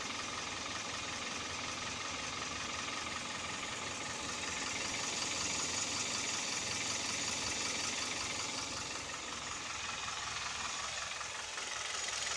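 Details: Kia/Hyundai G4KD Theta II petrol engine, recorded from inside the cabin: quiet hissy idle with faint, fairly regular tapping near three beats a second; owner suspects piston knock with vibration, also at 1500 rpm.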